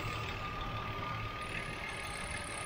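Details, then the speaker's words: 1984 Chevrolet Opala 250S inline six, original, at idle: light, even ticking over the engine, the normal clatter of mechanical tappets. "aí pessoal dá para ouvir o barulhinho aí dos tuchos mecânicos fazendo lek lek lek lek lek lek lek"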